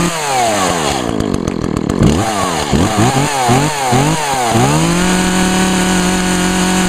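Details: 2012 Echo CS-400 chainsaw, fogged with Sea Foam Deep Creep, heavy smoke at start that soon clears; revs up and down cleanly several times, then settles to a steady even tone; healthy.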